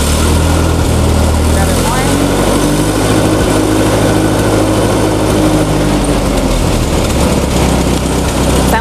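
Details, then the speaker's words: Massey Ferguson tractor with Z134/Z145 petrol engine after governor replacement and adjustment, started up; steady idle lifting slightly then holding even, a normal governed idle with no wandering. "our tractor is back together now we're going to start it up and you can hear how the governor runs there's our nice idle"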